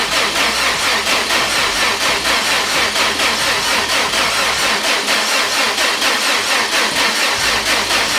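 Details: Subaru GC8 rally car with a replacement high-compression EJ20 boxer and new TD04 turbo fitted after the old EJ blew, fresh start after priming: settles into a steady, even idle with a smooth pulsing beat and no ticks or knocks; healthy.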